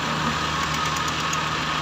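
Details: Toyota Avanza gasoline engine with reduced pulling power: steady idle with slightly uneven, lumpy beat under constant hiss; misfire suspected, cylinder not pinned down; coil, spark plug and power balance test checks suggested.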